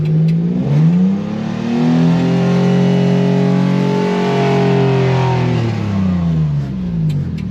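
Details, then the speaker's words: Inferno truck build with a homemade sequential transmission controller, transfer case and reduction box in low range, in first gear: engine pulls cleanly up and back down in one smooth sweep, no flare or slip, no check engine light; normal acceleration. "All right, I am truly in first gear."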